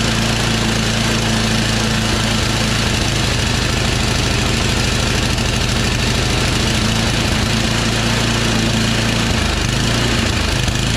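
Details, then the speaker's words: Yard Machines MTD 24" two-stage snow blower, 8 hp Tecumseh Snow King: it would not prime via the primer bulb, and fires only on sprayed starting fluid with an uneven, lumpy beat. A clogged primer hose or gunky carburetor primer jet is starving it of fuel. "okay as you guys could see it starts up just fine with some primer which means that the primer bulb hose is clogged with something or the carburetor is just gunky especially with the primer hole in there uh the primer jet so it's not able to prime fuel into the carburetor to get it started"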